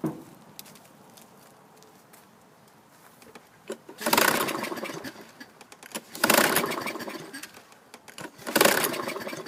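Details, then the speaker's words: Toro Recycler 22" mower, 6.75 hp Kohler engine, 2000 model, with a used recoil fitted: three rope pulls, each a brief rasp dying away, never fires; owner suspects it flooded, plans to drain fuel and clean the carburetor. "um it may have flooded itself out so this one's going to need a little more attention i was hoping to at least hear it fire off no go"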